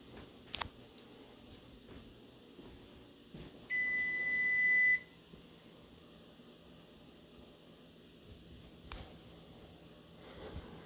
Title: Oven Beeping Sound Part 2